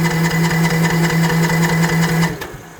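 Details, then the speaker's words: Troy-Bilt TB42 lawn mower, choke on, cranking after service: steady starter cranking about two and a half beats a second with no firing puffs; earlier test showed little to no compression, won't start, valve cover to be removed. "Yeah, so we're not hearing that puff noise coming from the engine. We already did check it earlier on, and it showed it had little to no compression."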